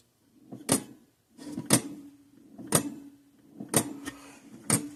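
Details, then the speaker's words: 1950s–60s Parmac-made Sears 6 V mechanical electric fencer with gold-plated points on a bench supply raised to 6.5 V: sharp single clicks about once a second, pulsing faster than it should. "Let's crank this power supply up to 6.5 volts. Why is it clicking so much faster?"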